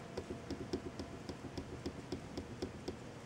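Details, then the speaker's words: ASUS MB19TU LCD monitor with brightness raised to 100: quiet room, light even clicking about four times a second, no speaker hum; hum returns at brightness 90. "so at 100 brightness level the noise coming from the speakers will disappear"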